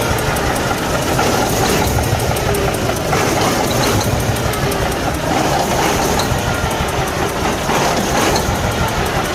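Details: Cummins ISX15 heavy diesel runs rough with an uneven, lumpy beat and irregular stumbles: a misfire with tailpipe smoke and low power. Attributed to internal engine damage.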